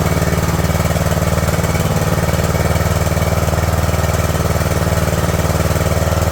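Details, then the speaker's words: Craftsman LT2000 lawn tractor engine, cowl on, fuel solenoid hot wire reconnected, choke on: fast, very even chugging at a raised idle, no misfires or knocks. High idle on choke; owner wants to back the idle down. "I want to back the idol off just see if it'll idle down a little bit"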